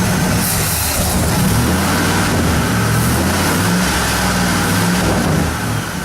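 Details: 1972 Ford Custom V8 cold start, started by remote starter box after adding gas (last attempt failed with no fuel): deep, even burble with slight rise and fall as it warms; runs smooth and healthy, normal cold idle.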